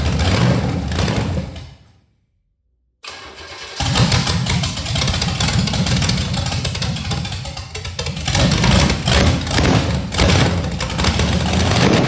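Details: 1985 Chevy Camaro 400/406 small-block V8 on open pipes, first start in over 20 years after reseal, plug wires rotated: cranks, dies briefly, then fires into a loud choppy lope; big-cam motor running fine, timing still to be dialed in.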